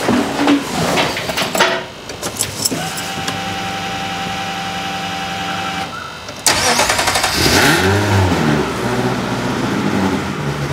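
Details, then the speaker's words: Ferrari-engined Alfa Romeo 105 project car, early run after first start (no cam angle sensors yet, not warmed up): cranks, catches, settles to steady, much quieter even idle with exhaust valves closed; normal. "much more sense much quieter"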